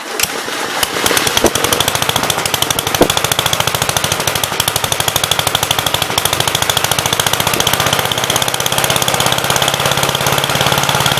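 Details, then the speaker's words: 1951 Gravely Model L 6746 single with a Wico magneto, missing fuel bowl and no air cleaner: runs in fast, uneven chugs only on gas poured into the air filter base and backfires; a fuel problem is suspected. "hey guys one more time it's running off the gas i'm putting in the air filter base he backfired there"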